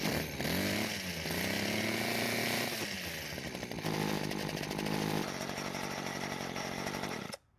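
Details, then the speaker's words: Weed Eater two-stroke hedge trimmer on old fuel line reattached, fuel in tank, carburetor untouched: buzzy engine picks up cleanly through several blips, settles without stumbling; runs perfectly, though brittle fuel lines leak and need replacing. "well the good news is that it runs perfectly we didn't even need to go through the carburetor"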